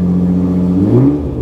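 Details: 2018 Nissan GT-R starting after battery replacement: engine running strong with clean rev rise and fall, steady deep exhaust note, nothing irregular; sounds healthy.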